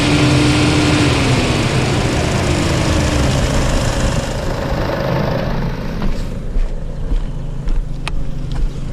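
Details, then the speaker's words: Chevy Cruze 1.4 turbo with codes P0299 underboost and radiator coolant temp implausible, drive-by-wire, revved under the hood listening for boost leak: strong rev falling back to steady low idle, no hiss or whoosh; no leak heard, ECT sensor suspected. "Don't hear any air blowing out? No, I can't hear it. The hearing isn't that good anyway, Paul. I don't hear a leak."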